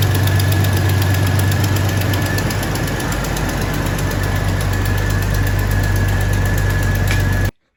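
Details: 2000 Jeep Cherokee Sport XJ first start after a new head gasket, thermostat and housing, and valve cover and manifold gaskets (old gasket failed, overheating): deep, uneven lumpy idle with an unsteady beat near four per second; rough running.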